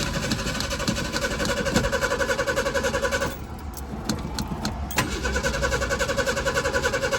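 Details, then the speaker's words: 1976 Ford Pinto cranking steadily about three and a half turns a second without catching; ran on starting fluid, so owner suspects the fuel pump burned out or its wiring came loose. "Well, I've suspected that either the pump has burned itself up or the wiring, wherever it is, has come unconnected or whatever."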